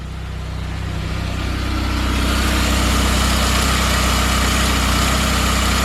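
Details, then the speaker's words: 1997 Saab 9000 CSE A50 anniversary edition, turbo with performance mods, trash bag stuffed in exhaust; low, steady, even idle muffled at the tailpipe with no knocks or misses, runs with no problems. "But it does run. No problems whatsoever."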